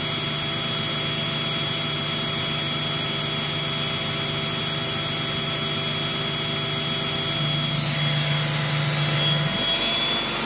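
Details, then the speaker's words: Eureka 402 Superlite 2-amp vacuum with brushroll on during an airflow test: smooth, steady high whir with a small step up in pitch; the suction motor seems to spin faster when the carpet motor is activated. Normal running. "just judging by the pitch of the machine it also sounds like that uh suction motor might be spinning a little bit faster when the carpet motors activated"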